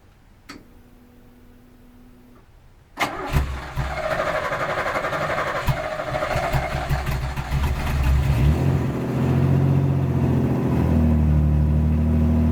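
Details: 1986 Pontiac Fiero GT, first start after about five years sitting, with earlier battery problems; fuel pump heard priming, half tank. Quiet cabin with a chime, then the engine catches at about three seconds and settles into an even, building cold run.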